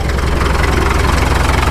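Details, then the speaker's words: 1951 Caterpillar D2 crawler diesel, first start after checkover, fuel pressure low (suspect transfer pump or filters): even low thump at steady idle, about eight pulses a second, no misses or knocks, no smoke; healthy idle. "Listen to that. That sounds pretty good. No smoke. We've got oil pressure yet."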